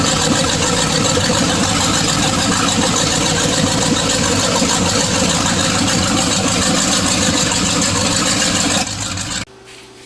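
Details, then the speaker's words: First run of a '62 Chevy 327 V8 in an '86 GMC Sierra Classic: even, steady idle about nine seconds, no ticking or knocking, clean shutdown; good oil pressure, only a fuel leak, carburetor not yet correct or tuned; sounds healthy. "It sounds great. Sounds like demolition derby time to me."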